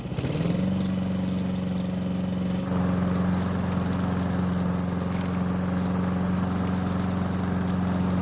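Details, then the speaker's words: Honda mower with a faulty choke, primed with fuel: it catches within half a second and settles into a steady, even single-cylinder drone with no misses or surging; normal running, with only the choke left to fix. "foreign so the good news is that after priming the engine it not only started but it kept running that means we only need to fix the choke system and we should be good but only when we're talking about the engine"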